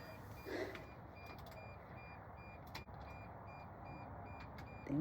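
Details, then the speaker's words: Semi truck during replacement of its four batteries: faint, steady warning beeps sound once the cables are reconnected, confirming power is restored before the final bolts are tightened and the engine is started. "So, you can hear the beeping. So, you know we got something back connected."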